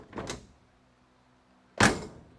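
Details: Crew-cab Charger restoration, front of the car raised: two door closes, the second landing with a heavy, deep thump instead of a crisp latch; the door is no longer aligned with its striker, showing the front of the car is sagging.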